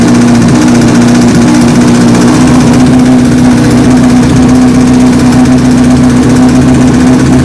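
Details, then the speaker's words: 2007 Honda CBR1000RR Fireblade with an undiagnosed engine noise, after a cam chain tensioner was fitted, idling with a busy, fast top-end clatter over a steady hum. The ticking persists, and the owner suspects it needs a new cam chain. "Okay. Not quite what I wanted to hear. I was hoping the tensioner would do it and do it for good, but unfortunately I think it does need a new cam chain."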